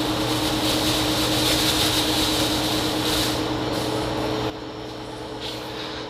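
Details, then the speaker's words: DIY shop fan built from a recycled HVAC squirrel-cage blower with a quarter-horsepower motor, damper beam all the way up (low setting): a steady, even low hum with a soft airy rush and no rattles or rubbing, easing down at the end; running fine. "as you can hear it is working right now with the damper beam all the way up it's considered on the low setting"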